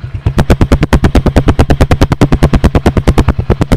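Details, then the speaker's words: Honda Win 100 (Indonesian) single-cylinder motorcycle with a fully rebuilt engine, original head and original carburetor, at idle. Deep, punchy, even exhaust thumps at about seven per second, likened to gunshots; a normal healthy idle. "như Tiếng súng nổ không từng tí từng tí từng bịch bịch bịch"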